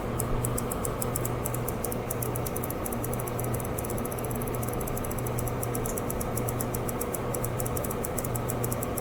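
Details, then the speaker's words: HP 150A vintage tube oscilloscope with its high-voltage (about 5000 V CRT) section exposed: fast sharp clicks repeat over a hum while the trace flickers. Suspected leaking capacitor shorting as it charges, causing repeated loss of high voltage. "uh but i can hear some clicking in there which tells me that uh probably i've got a leaking capacitor maybe that as the capacitor gets charged it shorts within itself and that's causing kind of a repeating loss of high voltage"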